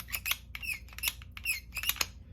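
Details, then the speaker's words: Polymer 80 PF940 V2 (Glock 17 size) pistol: high chirping squeak on each slide stroke, attributed to the recoil spring; the gun had been missing a spring and a replacement was ordered. "but she squeaks super annoying"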